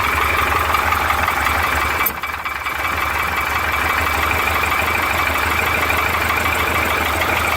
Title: PORSCHE 912 PISTON SLAPS SOUNDS ポルシェ912